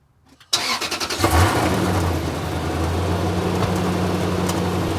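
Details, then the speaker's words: Lexus GX470 at about 286,389 miles after rusted muffler/pipe holes repaired with JB Weld ExhaustWeld and copper wire: cranks, catches, settles to smooth even idle, no leak puffing or ticking; exhaust sealed and quiet. "but anyways it is nice and quiet now which I like I don't know how long that'll hold up hopefully it holds up a while"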